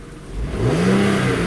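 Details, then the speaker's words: 2004 Audi A6 wagon, 3.0 V6, about 110,000 miles, with MAF, fuel-trim and misfire codes: the engine note climbs quickly and cleanly on a throttle blip, steady and even with no stumble, during open-loop warm-up just after codes were reset. "sounds mean yeah throttle response they're open-loop driving closed-loop"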